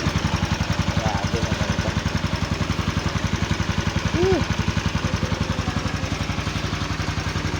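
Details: Motorcycle that would not start, running after a clogged carburetor and worn spark plug were found: single-cylinder putt at an even, steady pace, about four pulses a second, no misses or knocks, normal idle.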